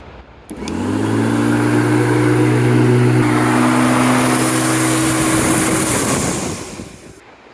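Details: Bosch Rotak 32R electric lawn mower after a cut cable was repaired with an IP68 waterproof junction box connector: motor spins up to a steady, even hum and winds down cleanly, no grinding; normal running.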